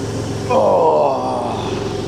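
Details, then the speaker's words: Early 2.5 Porsche Boxster 986 after air-oil separator job and throttle body clean, long-unserviced oil not yet changed: brief clean throttle blip, note rising and settling evenly, no misfire or ticking; engine sounds healthy. "And the state of the oil filter, lovely. Sounded good though."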